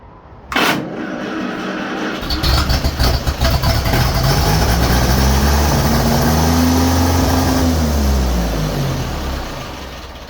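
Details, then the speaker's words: 1951 Ferguson tractor after replacing the thermostat housing and refilling coolant, starting up: catches, revs surge up and hang, then sag back and die off; accelerator linkage set in the wrong position. "Right. Well, now we know that the accelerator linkage is in the wrong spot."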